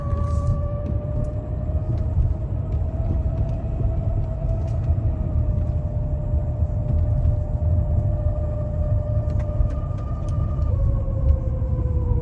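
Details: 2015 Jeep Cherokee (KL) rear driveshaft (propeller shaft) with two carrier/center support bearings, howling for a long time while driving: droning howl at one pitch over road rumble, drifting with road speed; worn carrier bearing, fixed by replacing the whole driveshaft.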